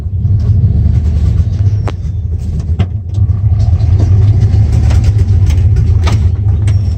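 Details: 1994 Dodge Ram 5.9L V8 with codes 37 and 51, rough idle and backfiring: loud, uneven idle stumbling irregularly with sharp pops. Cause was a failing crankshaft position sensor; replacing it restored normal running.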